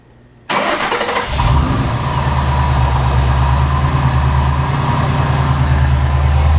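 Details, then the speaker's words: 2012 supercharged Ford Mustang GT 5.0L, just after an oil and filter change with synthetic 5W-20, on jack stands: quick crank catches at once into a smooth, even, deep idle with no knocks or ticks. Normal start and idle. "Okay, now we'll go ahead and start it up. I'll poke my head under there, make sure we're not leaking any oil from the filter or from the drain plug."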